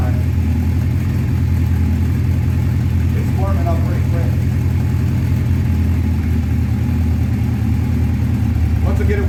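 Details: 1984 Honda CB700SC Nighthawk after carb cleaning, cold after sitting at 30 degrees: slow lumpy idle, two to three pulses a second; idle too low, possibly set in summer heat; needs turning up.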